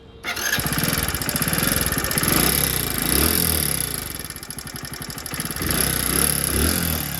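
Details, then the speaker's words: Hero HF Deluxe BS6, one year old with 13,000 km: small single running with a loose, busy ticking of about four per second over the idle, rising with revs; tappets are out of adjustment, fixed by tappet setting. "गाड़ी चली है 13,000 और इसका sound सुन सकते हैं आप। कितना गंदा साउंड आ रहा है इसमें।"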